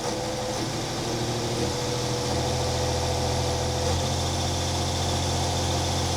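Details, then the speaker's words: Volvo Penta TAMD 71B marine diesel, stood 10 years in a partially sunk abandoned boat, first run, revs raised to around 1,500 with prop clear: firm even drone, steady low beat, no knocks, still good oil pressure; running normally. "sounding good. Still good oil pressure."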